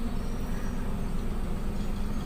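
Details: Car with idle rising and falling, fixed by replacing faulty ISC idle speed control actuator with aftermarket part: steady low hum, idle now holding below 1000 rpm without surging or hunting; normal idle.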